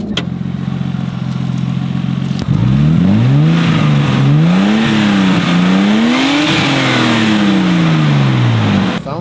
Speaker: so uh let's do a little diagnosis and see if we can get it running better it's misfiring